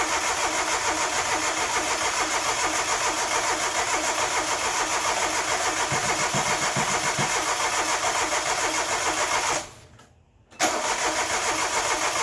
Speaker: Well, compression sounds good. Let's see if we're getting fuel. Don't think we're getting fuel.